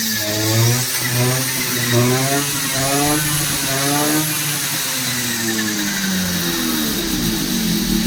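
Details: Two-stroke brush cutter that wouldn't start after sitting and leaked petrol, after replacing the fuel pipes, fuel filter and primer pump: buzzy note rising and falling with throttle blips, catching cleanly each time; running properly.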